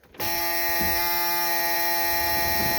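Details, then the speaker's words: Mini excavator cab blower motor tested after fitting a knob to the blower switch during cab repair; loud, steady high-pitched whine holding one even pitch from switch-on; blower motor working, normal running. "hear that the blower motor is working sweet"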